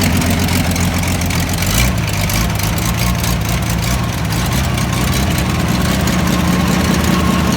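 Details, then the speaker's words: 1987 Toyota Land Cruiser FJ60, sold as having a bad rod, started up: deep, even idle with a short throttle blip, no knocking or ticking underneath; sounds phenomenal, normal idle. "Oh my gosh. That sounds phenomenal."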